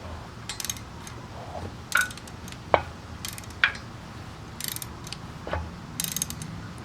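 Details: Subaru EJ25 engine turned slowly by hand: uneven metallic clacks and clicks from rod knock, one connecting rod with lots of play and no bearing left.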